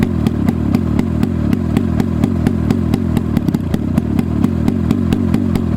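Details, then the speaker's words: Hirth 440 two-stroke snowmobile engine for a 1972 Snowjet, run on the bench: raw, unmuffled firing in sharp, even pops about four a second, steady with no misses; it runs. "She's done. She runs."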